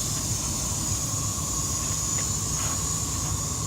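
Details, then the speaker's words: Semi truck with a constant high, sharp hiss and thin squeal, audible from a distance after backing out from underneath; air leaking from a broken air dryer purge valve, part not orderable until Monday. "but that was the problem that we're having but as you can tell that part has to get ordered it's not going to get ordered until Monday but you can hear it clear as day from here it is a big part that's broken guys"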